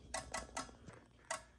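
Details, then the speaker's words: Fire alarm test, CO detector activated: crisp relay clicks, three in quick succession then a pause, from CO strobe sync module syncing the strobe NAC circuit; normal relay clicking. "But before it gets out to the strobe, it has to go through CO strobe sync, which that's what's making all the clicking noises. That is a sync module, and you can hear the relay in there clicking."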